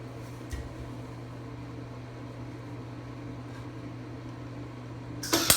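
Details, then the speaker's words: Craftsman 196.205690 welder: steady low electrical buzz through the pass without the usual bacon-frying crackle; arc not getting hot enough, poor penetration, cause unknown. "it's not really any better you can probably hear it there's none of that bacon crackle it's just it's a more like a buzzing she's not getting hot enough"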